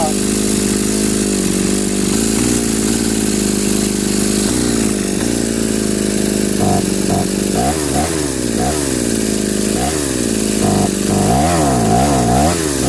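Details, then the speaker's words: Homemade two-cylinder two-stroke brush cutter with one ignition coil and the carburettors joined by hoses: revs up and down in rough surges without a smooth double beat; the engines run only one at a time, never together. Cause unknown. "тільки чомусь працює по черзі двигуни. Разом вони чомусь не працюють."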